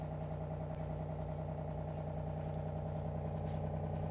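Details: Sujiko RO water purifier with microcontroller, in normal purify mode after an 18-second auto flush: steady, even low hum with no knocks, rattles or surging; pump running smoothly and normally.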